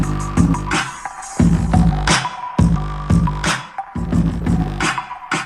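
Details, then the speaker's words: Jeep Wrangler rear speakers at high volume: loud bass-heavy music with a buzzy rattle on bass hits, from loose wire caps slapping the plastic speaker box; no rattle at low volume. "i think you can hear those rattles so we're gonna go ahead and take the speakers out try to fix that try to find where it's coming from"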